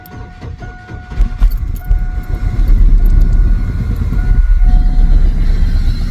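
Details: 2000 Chevy S10 after new spark plugs, with good compression and spark confirmed on all four plug wires: it cranks and catches, then runs rough with an uneven, stumbling low beat. It is still misfiring, cause unknown.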